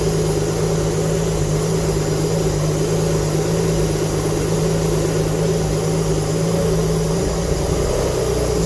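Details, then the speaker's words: Alfa Romeo GTV V6 on first start with a replacement engine after 18 years off the road, manifold gasket not yet fitted: a rough, chuffing run that revs up, blowing at the manifold; exhaust leak from missing gasket. "I am still waiting on a new exhaust gasket, so if by any chance it does start, you will hear the exhaust blowing."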